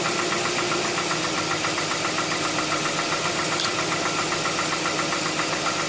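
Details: 2007 Tucson 2.0 16v GLS, cold-start morning noise that fades after about 10 km of driving: steady light ticking about three or four per second over the idle; valvetrain tick, mechanic suspects lifters (tuchos), unconfirmed.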